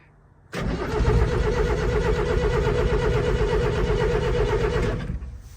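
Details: 1975 MK1 Ford Transit diesel, undriven since 1990, sat 2–3 days, flame preheater run about 45 seconds, fuel pump audible: starter cranks steadily about five seconds with uneven chuffing, never fires; owner unsure preheater works, considers more voltage.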